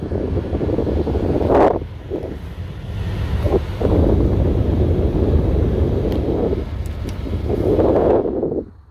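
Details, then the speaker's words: 2003 Chevrolet Silverado 1500HD whose AC blower motor stayed on at all times, heard after the fix with the fuse reinstalled: a steady low rushing airflow holds evenly for several seconds, then shuts off; the blower is under control again. "Now you have full control of your AC blower again. As you can tell."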